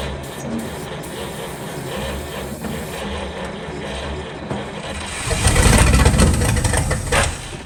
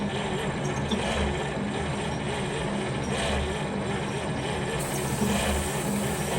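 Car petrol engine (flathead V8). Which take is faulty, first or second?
first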